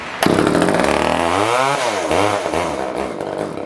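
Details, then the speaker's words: Older Poulan 1800 Wood Shark chainsaw, no-start repair, on choke: it fires but revs surge and fall unevenly, like a lean mixture, pulling too little tank fuel to run. Carb jets were found way out; suspected to need a carb kit. "Just by the way it's acting, it's not really wanting to pull a lot of fuel. It will pull tank fuel, it's just not a great amount enough to run."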